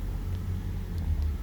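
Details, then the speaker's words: 2018 Toyota Prius hybrid after no-start from a dead 12V battery (rear seat, passenger side), jump-started: low steady rumble with no knocks or rattles; engine running normally. "The engine is running now. Everything is fine."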